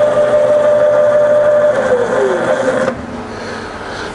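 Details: Rebuilt Bridgeport mill, variable speed head, 240V single phase, high range, spindle in reverse slowing to about 500 rpm: smooth clean whine falling steadily in pitch, no rumble or grinding; healthy spindle.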